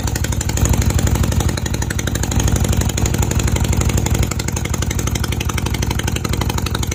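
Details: Honda CB250 Nighthawk after repairing an exhaust leak at the header bracket and stud, with fresh oil: a steady single-cylinder idle at about four even beats a second, with no puffing or ticking from the exhaust. Sounds healthy.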